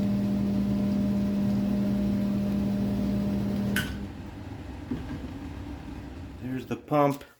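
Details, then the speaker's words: Drummond 1/3 hp Harbor Freight sump pump replacing a 1/2 hp Wayne, lifting about 7 ft: quiet steady low hum for about four seconds, then cuts off; smooth, no rattle, normal. "This pump, it activates quicker, so it doesn't have as much water in it, which is nice, and it is very, very quiet. You'll hear here once I plug it in, it makes almost no noise, which is awesome."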